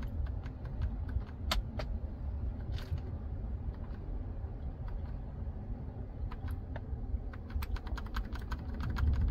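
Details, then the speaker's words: 2010 Ford Expedition Limited, idling, while the temperature setting is changed: sharp plastic clicks and bangs from behind the dashboard over a low idle hum, from a failing main temperature blend door actuator. "okay so first I will try to demonstrate what is happening with this Ford Expedition how you change the ambient temperature there is like a loud banging noise coming from the dashboard"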